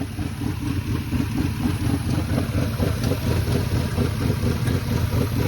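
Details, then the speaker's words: Car after an owner's DIY tune-up with new spark plugs: uneven, stumbling idle with irregular pulses and no steady beat. Misfire traced to ignition coils the owner messed up during the job. "This customer attempted to do their own tune-up on their car, and as you can hear, it's not too happy about it. It turned out they had messed up the coils after putting new spark plugs into it."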